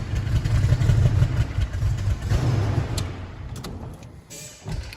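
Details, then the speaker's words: 1998 Toyota Tacoma, previously rear-ended and sat 7+ years, restarted after engine work: rough idle with uneven low putt-putt stumble, misfire still present; compression and vacuum tests planned next. "yeah so we still have a problem obviously yeah still doing a bit of a putt-putt"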